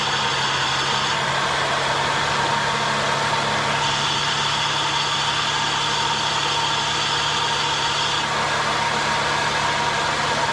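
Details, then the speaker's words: Infiniti with a grinding, roaring noise from the front of the engine: steady rough roar with gritty grind that shifts as the A/C clutch cycles; bad A/C compressor clutch bearing. "We're going to be trying to find what noise that was that we just heard. Kind of a grinding, roaring, really bad sounding noise."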